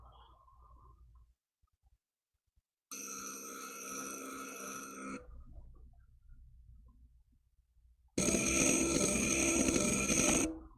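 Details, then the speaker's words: NEMA 17 stepper motor on 3D-printed Stargate, speed setting 5, same distance forward then backward: steady whine, with the reverse pass harsher and gravelly; rough in one direction, cause unclear. "could you hear the difference? I hope you could. All right, same distance. Equal. And then that's just nasty. It is. It just sounds nasty."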